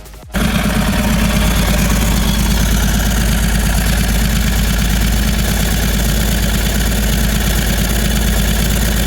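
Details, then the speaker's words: 2010 Ford Transit Mk7 diesel welfare van, previously seized and suspected hydrolocked, with a new starter: catches and settles into a steady, deep, even clatter with no misses and less smoke than before; normal idle. "definitely not a smoke is what it used to be so fingers crossed she's ring here we go from C Transit to a running Transit woohoo"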